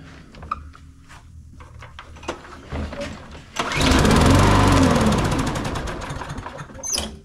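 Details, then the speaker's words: Troy-Bilt (MTD) push mower with auto choke, low gas: catches with fast chuffing roar about two seconds then stalls; dirty carburetor suspected, carb cleaning needed. "fired right up just for a Split Second thinking probably on this one we're dealing with the carb issue too because it fired up there for for a second"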